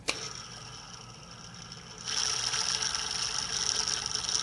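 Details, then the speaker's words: Single click, then a gritty, raspy high whir with a thin whistle as a pulley is spun by hand on a 2003 Chevrolet Suburban at 75,000 original miles; worn pulley bearing, replaced with an ACDelco part. "bearing does not sound good whatsoever"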